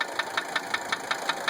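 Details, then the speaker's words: 1980 Mercedes 300SD diesel at idle: sharp regular knock about five a second, source unknown. Owner first suspected injector nailing. Cracking the lines of injectors 1–3 didn't stop it (it deepened at 3); loosening 4 and 5 changed nothing. "I initially thought injector nailing, but I really didn't have time to play with it, and I wanted some feedback before I started breaking things."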